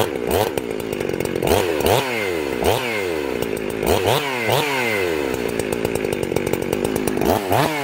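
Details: Two-stroke chainsaw after carburetor tuning, high jet at one and a quarter turns out: revs up crisply and drops back cleanly with no bogging or stumble; low jet later closed slightly as idle was a little slow; normal running.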